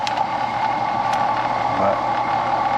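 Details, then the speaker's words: Brand-new Carrier AC outdoor unit, contactor engaged: only a steady fan whoosh with a mid hum and no compressor drone; the amp reading is 1.6 A instead of 11–12 A, so only the fan runs and the compressor isn't starting. "No compressor though. Y'all don't hear that compressor, do you? Alright, so I'm gonna show you we don't have no compressor by checking your amps."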